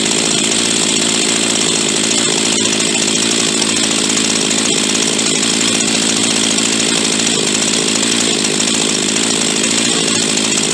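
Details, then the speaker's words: Huztl G366 (Stihl MS361 clone) chainsaw, warm, dies coming out of cuts and leans itself out when hot; holds a hard, high-pitched steady rev with no burble, lean running suspected from a plugged fuel tank vent. "ently it's starting to get a little finicky now and then she'll die coming out of the cut and really wanna idle real well unless I've got an idle and quite hot she keep leaning herself out"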